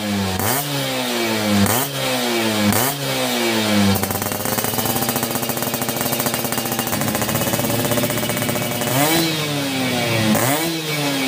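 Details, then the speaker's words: Yamaha F1ZR 2000 two-stroke motorcycle before restoration, engine runs but bike not rideable: crisp ringing blips, then holds a high buzzing rev cleanly before more quick blips; engine sounds healthy. "Oke, gaskeun. renyah suaranya ya."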